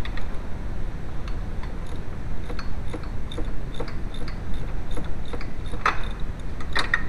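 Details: VW A2 1.8L petrol engine idling: low rumble with light uneven ticking from a noisy timing belt tensioner.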